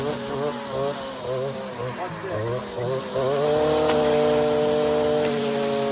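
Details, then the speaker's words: Stihl FS56 residential string trimmer cutting tall, thick grass with too much line fed out from the bump head: engine note wavers and sags under load, then settles to a steady drone; bogging from overlong line. "hear it bogging down. So the the sound of your engine, learning how it should sound and how it should feel is a big part of weeding efficiently."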